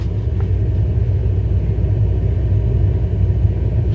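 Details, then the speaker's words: Hartke HD150 bass amp with no input: deep constant furnace-like roar, all low rumble and no notes, still present at minimum volume and louder with EQ raised; noisy power amp. "like a furnace inside the amp can you believe that very annoying right now"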